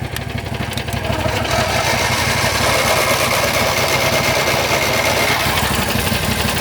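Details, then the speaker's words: John Deere GT225 lawn tractor, warmed up, repeated cranking while charging from a Landmaster: steady turnover about three compression beats a second, never catches; owner checks cables, then says the starter is toasted after these attempts. "Never had a tractor hard start when it was warmed up. I'm telling you, that thing fires right up when it's cold, but just not when it's warmed up."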